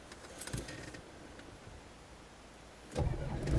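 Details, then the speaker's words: 1992 Land Rover Defender 110 County Station Wagon, 200Tdi diesel, one owner, low on fuel, recorded in the cab: keys rattle, the diesel turns over briefly and fires promptly into a clean idle. Normal start. "and on starting everything goes out the way it should, apart from the low fuel warning lights."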